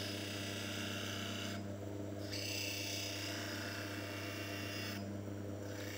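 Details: Manual lens bevel machine, wetted lens being cut to a V-bevel past the blue line mark: steady motor hum under even, gritty grinding as the lens rides the stone, with no chatter or catching. Normal bevel cut.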